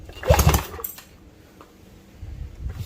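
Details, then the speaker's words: 1968 Evinrude Fastwin 18 outboard, freed up after seizing from sitting, compression test reading about 90–110: firm, even chuffing puffs as it is turned over, so compression sounds strong and healthy. "You hear that? That's a great sound. There is life in this little baby."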